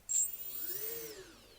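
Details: Quadcopter on the bench during Betaflight setup, all motors spun together via master slider: short high whine rises then falls as the unloaded motors spool up and down together, smooth with no grinding; normal.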